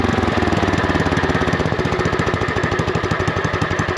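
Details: Lincoln Weldanpower 150 welder-generator, probably 1980s, sat at least 12 years; after a carb check (bowl and main jet clean) the single-cylinder engine thumps at an even fast beat, steady and clean with no misses. Normal idle.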